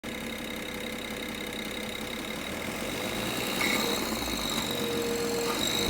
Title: N53 Engine Rattle 3